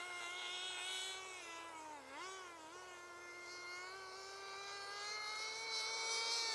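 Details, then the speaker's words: Team Associated RC10GT nitro car, warmed up, after an attempt to adjust the slipper clutch: high engine scream that dips briefly, then climbs and holds without bogging, revving freely because the slipper clutch is still slipping. "yeah it's slipping can you hear it slip it shouldn't rev like that okay so we've still got slip on the old slipper clutch"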